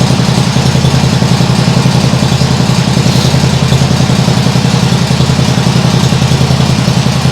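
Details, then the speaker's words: Nibbi G619 walk-behind tractor engine after carburettor work, throttle handle in the lowest position: steady low thumping idle at about three and a half beats a second, even and unbroken, smooth like a sewing machine; normal idle, much improved. "doesn't that sound better yeah that sounds much better like a sewing machine that sounds great really great"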